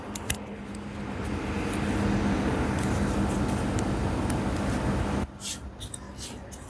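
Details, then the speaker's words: Ariston washer-dryer after replacing the defective main control board, spin-and-pump-out cycle with door locked: steady low electric hum for about five seconds, then clean cutoff; drain pump running normally. "Here door already got lock. You can hear the noise, pump already working."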